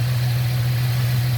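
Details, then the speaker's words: 1998 Ford Mustang, first run after sitting ten years, while warming: steady even low rumble at idle, no misses, knocks or ticks; normal idle. "it's halfway yeah it's running starting to heat up i can smell it"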